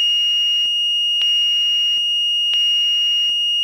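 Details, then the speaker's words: Chinese-version Fluke 101 multimeter after reassembly with test leads re-centered: clean high beep dropping out and returning as probes touch, clearer tone with no buzz; buzzer inadvertently fixed and working normally. "that is definitely sounding less Buzzy than it was before it's a clearer tone"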